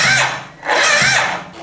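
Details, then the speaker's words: Suzuki Burgman 650 (Skywave) maxi-scooter, left brake switch not working: two strained whirring surges that sag and slow, starter barely turning the engine over; slow cranking. "так стартер у нас еле крутит"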